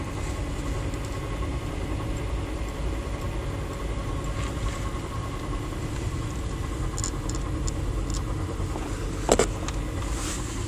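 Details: Honda Civic Si (7th gen) pulling away slowly in 1st gear: low engine rumble with sharp clicks and a brief rising hum only under acceleration, seemingly from near the driver's side; cause unidentified even by a workshop.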